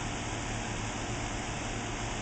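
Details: Four-year-old factory Ruud outdoor heat pump unit in the backyard, cooling: steady soft hum with low fan drone and no rattles, squeals or cycling; quiet, healthy outdoor unit running normally.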